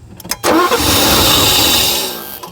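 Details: 1984 Mercedes 500 SEL AMG that sat for 27 years: the starter spins briskly for about two seconds but it never fires, as no fuel flows to the injector despite residual fuel pressure; crank no start, no fuel delivery.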